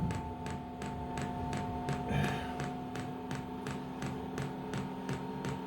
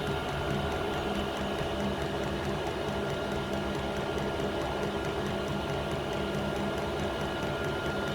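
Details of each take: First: Diesel air heater (Amazon unit, about £70) on a test bed before fitting to a boat, first start: steady light ticking nearly three per second over fan hum as the dosing pump primes, fuel drawn up slowly with air in the line. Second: Diesel air heater on an indoor test bed before fitting to a boat, running a couple of minutes: even steady fan whir with faint regular pump ticking, no surging or misfire; hot air blowing, running properly.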